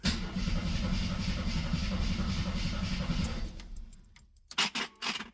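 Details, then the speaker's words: 1973 AMC Gremlin, sat 30 years in a barn: strong even cranking at about three and a half beats a second for several seconds, never catches; cranks fine but owner suspects no ignition, possibly mice-chewed wiring. "Oh, our radio does work. I don't think we have any ignition."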